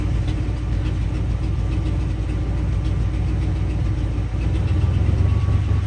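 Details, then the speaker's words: 1978 Ford F250, 400M 6.6-liter V8, 4-speed 4x4, original miles, cold start after a night around 15 degrees: steady even low rumble with no knocks, misses or surging; normal healthy cold idle. "This old girl runs pretty fucking good."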